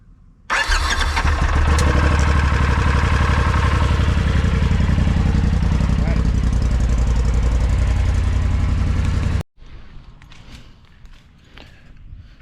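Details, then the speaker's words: 2020 Polaris RZR XP4T with faulty brake sensor, after cleaning it: about nine seconds of steady cranking near four pulses per second, never catches; crank no-start, later fixed by replacing the brake sensor. "still won't start I got it cleaned up so checking online test it out everything still won't start"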